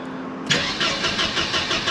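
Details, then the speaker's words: Mercedes W124 220CE cranking at an even four to five beats a second with no firing, fuel pump on, right after the crankshaft position sensor was replaced; it now won't start at all. Owner suspects the ignition coils were disturbed. Crank, no start. "okay so the only thing i've changed is the crankshaft position sensor [Music] i've just made it worse now it won't start at all"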